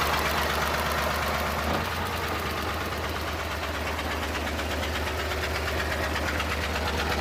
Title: PART2: TROUBLESHOOT ENGINE RANDOM MISFIRE Suzuki Multicab F6A